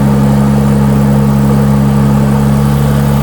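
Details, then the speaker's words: Stethoscope held on the oil filter with the engine running at idle gives a steady, even hum with two low tones and no knocks or ticks; oil can be heard circulating normally. "Tá escutando óleo lá dentro mexer?"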